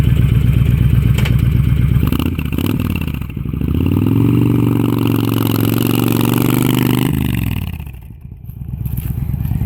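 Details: 2005 Honda VTX with Cobra slip-ons, Cobra PowerFlow intake, DJ200 main jet, needle slot 4, test ride: even steady V-twin beat revving cleanly then dropping to calm idle; normal running.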